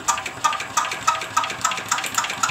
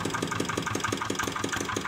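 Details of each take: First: Diesel engine, hand-cranked test start after valve work; even chuffs about three or four per second with injection audible but no firing; cranks but won't start, compression judged somewhat low. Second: Single-cylinder diesel after a repair, previously hard to start: it now starts easily, cranking is lighter, and it runs with an even, smooth beat and no misfire.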